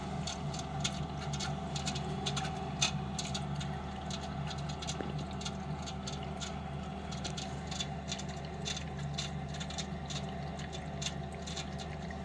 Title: Lenox furnace slugging and ticking sound.